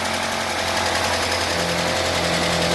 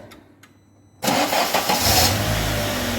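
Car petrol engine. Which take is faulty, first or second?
first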